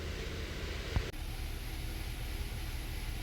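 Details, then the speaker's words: 2015 Kia Sorento 3.3 GDI V6, bank 2 misfire (P0300/P0304) traced to lazy O2 sensor: after repair, warm idle for 10–15 minutes with low even rumble; misfire index 0 on both banks. "Okay, we got the engine warmed up now. It's been sitting here idling for about, I don't know, 10-15 minutes. The misfire index is showing completely at 0 on both banks."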